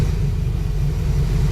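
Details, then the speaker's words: 2004 Ford F350 6.0 Powerstroke with low power and no check engine light, at idle: deep uneven rumble with a stumbling beat, missing and smoking; dead cylinder 1 injector, with cylinder 7 also dropping out. "that injector is dead and this thing's missing skipping smoking so now we know cylinder 1 injector is junk"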